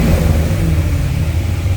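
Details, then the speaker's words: C6 Corvette Z06 with Akrapovic catback, exhaust valves closed, short rev after cold start: deep V8 rumble then quick clean rise in pitch on a blip; healthy. "so i'll do a short little rev here with the valves closed"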